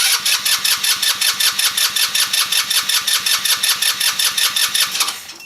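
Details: Backyard-find Velocity 150cc scooter after a jump start: even starter chugging at about five compression pulses a second for five seconds, engine never catches; cranks but does not start, cause suspected, not confirmed.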